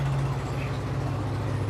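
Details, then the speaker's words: Yamaha Nmax V.1 scooter after repair of a no-start, previously traced to a weak starter motor; it now starts normally and settles into a steady, even low idle with no misses, grinding or starter whir; normal idle. "อ่ะก็สตาร์ทให้ดูเลยครับอ่ะสตาร์ทติดปกตินะครับ"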